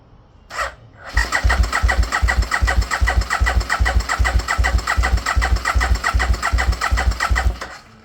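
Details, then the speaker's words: 2002 Aprilia RSV1000 Mille V-twin track build, spun over on the starter for the first time: even, steady cranking at about two and a half turns a second with regular, strong compression pulses; sounds healthy. "That sounds wonderful. That sounds really wonderful."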